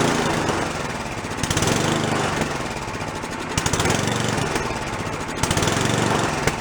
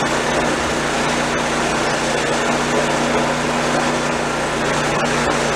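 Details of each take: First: Free old snowblower small engine, first start after cleanup, no choke: speed rises and falls about every two seconds; no response from idle adjusting screw; blocked carburetor idle circuit, carb to be soaked in ultrasonic cleaner. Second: Old snowblower small engine after drive cable/spring repair, function test: even steady buzz without stumbles, surges or knocks; runs smooth and healthy, only brake needs adjusting.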